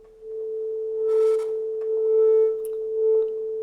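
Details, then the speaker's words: Worn gain pot on tape return channel of a 30-year-old SoundTracs JADE 32 inline analog console, sine test tone: scratchy crackle bursts as gain pushed past 50%, improved after working but still bad; pot to be replaced. "we can hear the crackles the first time you push the gain over 50% there was some crackle as you heard now it's a lot better but that's not good enough so we're going to change that one"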